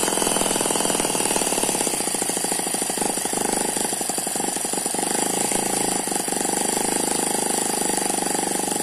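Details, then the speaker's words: Eachine ET9 (M15) miniature single-cylinder gasoline engine, dynamically balanced with twin counterbalances: fast, even buzzing patter at steady speed, turbo-like gear noise, no surging or missing, vibration only from tarpaulin underneath; normal smooth running. "so that's a very smooth running engine it does not dance around"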